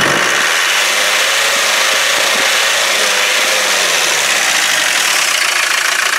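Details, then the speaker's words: Land Rover 300Tdi diesel running on a good battery with the breather off: loud constant hiss over a lumpy idle as fumes and oil spew from the crankcase like a steam train, indicating heavy crankcase blow-by. The owner is considering a catch can. "Look at it, look how it's breathing. Look at the fumes coming off there. It's like a steam train, look."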